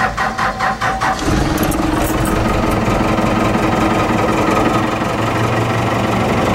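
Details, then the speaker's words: 4BT Cummins diesel with starting issues, recently primed: slow uneven cranking for about a second, then catches into a rough, unsteady idle; hard start, cause not confirmed. "so what do you think lady no jakers lots of compression linkie go pump i just primed it last time I started like that was when I had air in the system"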